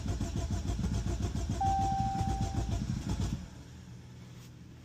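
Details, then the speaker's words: 2016 Jeep Cherokee Latitude that was overheating from extremely low coolant: starter cranks about four pulses a second for over three seconds and fails to start. "that's not good. Why it's struggling to turn on? I think this vehicle has more problems than I was led to, but let's try it again."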